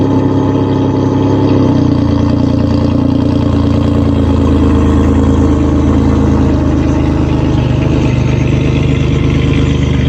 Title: Cold start, exhaust leak and all